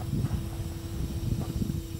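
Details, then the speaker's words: Datsun 240Z track-build project car after reconnecting the battery: a steady mid-pitched hum over a low rumble for a couple of seconds as the electric fuel pump primes normally. "yeah no that's the that was a fuel pump that's actually alright"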